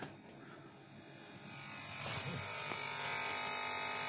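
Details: PC speakers via optical digital output with older Realtek sound driver and Wallpaper Engine audio visualizer (build 1.0.1036), nothing playing: steady 50–60 Hz-like electric buzz that stops when other audio plays; driver bug, fixed by updating sound drivers.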